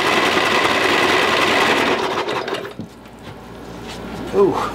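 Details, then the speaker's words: Lowe's 1442 mower, 14 hp, previously seized, now freed with good compression but fuel pouring from the exhaust: choppy, uneven mechanical chatter for a couple of seconds, then it dies away; rough cranking. "but the good thing is that the motor is unstuck it sounds bad but it's unstuck we can fix it now"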